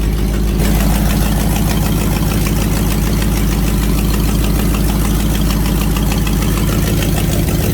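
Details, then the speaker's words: Fox body Ford Mustang V8 with eBay twin turbo kit, after new injectors installed: deep steady idle burble, even beat, no stumble; misfired badly at first start, now running on all 8 after revving. Normal idle. "I've revved it up a few times, and it seems to be running on all 8 right now."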